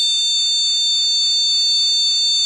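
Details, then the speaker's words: Motherboard buzzer with two RAM sticks installed gives a long, shrill, repeating beep while the monitor shows nothing; the pattern means the RAM is faulty or not detected, as when booting without RAM. "Sekarang, bunyinya panjang. Bunyi bip panjang yang berulang. Monitor tidak menampilkan apa pun."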